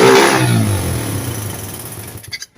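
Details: 1981 Honda CB100N after cleaning blocked pilot jet and dirty main jet, float bowl primed: crisp single blip climbing cleanly and falling away smoothly, no stumble or popping; carburettor pulls properly, no-start fixed.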